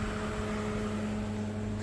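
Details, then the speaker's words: LG NeoChef inverter microwave after magnetron replacement, first power-up; waveguide opening and closing audible, even fan rush with steady low electrical hum, no buzzing or arcing; normal operation, heats water. "you can hear the sound wave guide open now wave guide is closing this is the wave guide"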